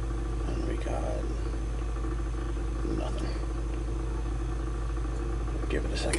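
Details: Lennox pulse furnace lighting on retry after failing the first trial, unused about a year, insulated door fitted. Constant deep outboard-like throbbing rumble, steady without stumbling; normal pulse combustion.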